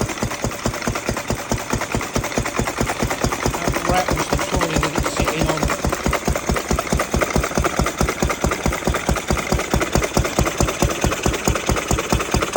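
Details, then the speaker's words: Ruston 6PS stationary petrol engine, belt started, after magneto remounted so drive coupling no longer pops out and mixer sorted: steady even single-cylinder beat around ninety a minute, no misses, running healthy. "I have the Ruston now running on the good one belt start. There she is."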